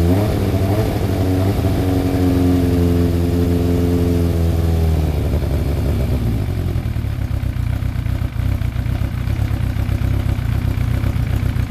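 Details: Freshly rebuilt Thunderace engine at its initial start-up, with water leaks still present: the revs climb cleanly and hold, then drop back to an even idle. No knocks or rattles; normal running and revving.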